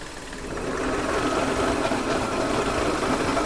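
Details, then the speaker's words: VW Polo diesel with a pickup (acceleration) complaint and a hard clutch pedal, at idle while the clutch is pressed and released: rough, gravelly rattle over a busy ticking beat, growing as the clutch is worked. "देख रहे ना भाई कितनी आवाज है इसका।"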